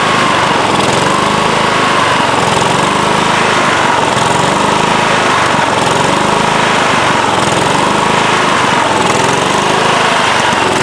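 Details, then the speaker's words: Late-1990s Scotts lawn tractor, single-cylinder Kohler engine, run after sitting a few years: speed swells and sags every few seconds as the governor arm hunts; surging, carburetor to be cleaned, likely lean varnished carb. "so all right so you hear it running and you hear it surging um it's not as bad as some engines that i've heard you can see the governor arm moving back and forth as it's hunting and surging"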